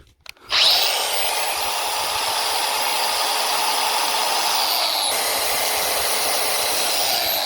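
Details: Milwaukee M18 Fuel 115mm angle grinder (M18CAG115XPD) after new casing and bearing fitted, snaps up to speed and holds a clean, even high whine with no rattle or grind; normal running.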